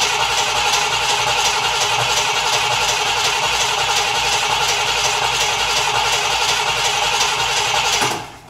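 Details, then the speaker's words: Cadillac Eldorado, cold and flooded, with plug wires hung off the plugs to jump a spark gap: the starter churns steadily for about eight seconds but it won't fire; smells of gasoline, rich fuel fouling the plugs suspected. "Well, that is a disappointment. I wanted to move this stupid boat. They're always stupid when they're boats. And she won't fire."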